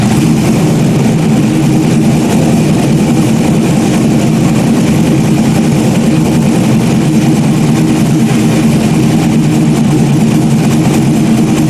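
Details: Stock-block 5.3 V8 race car just rebuilt after almost a year, idling after its first start: steady, deep, even idle with a strong low rumble and no knocks or misses. Healthy normal idle.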